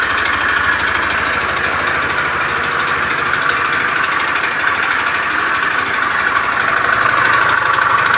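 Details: Beat FI scooter with a rough starter, idling in the workshop: a harsh klotok-klotok idle with an uneven rattle of about three per second. Rough internal engine noise; cause not yet pinned down.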